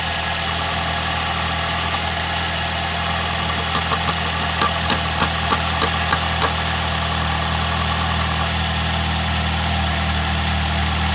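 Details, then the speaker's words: 2006 Ford Fiesta ST at idle: steady petrol idle with a thin metallic buzz. The exhaust manifold heat shield vibrates because of a broken bolt, heard before the repair. "So the problem I'm having with it at the minute is when it's on idle you can hear it vibrating around because there's a broken bolt."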